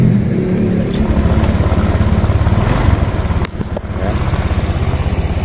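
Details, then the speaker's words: 2017 Honda Vario 125 scooter after a year of use, with its starter still fine: a single-cylinder idle settling into a steady, even putter with no knocks or rattles; sounds healthy. "Nah ini kita cek suara mesinnya ya guys. Starter masih oke."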